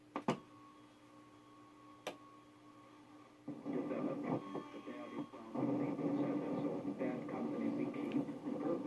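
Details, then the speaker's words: Mid-1960s Arvin AM/FM stereo radio lacking weak-signal stereo cutoff: hiss gives way to choppy, smeared voice as it tries to decode stereo on a weak FM station; garbled stereo decoding. "so on a weak station it's still trying to decode stereo even though the carrier is too weak so that's where you get all that garbled voice"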